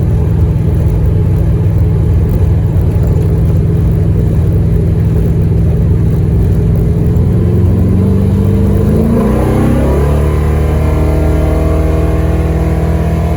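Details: Dodge Dart, new 403 stroker V8 with Hedman ceramic headers and Flowmaster FX muffler, first fire-up with awesome oil pressure: deep, even burble climbing smoothly with throttle, steady firing, no misses or knocks. Normal revving; later ran flawlessly over 47 break-in miles.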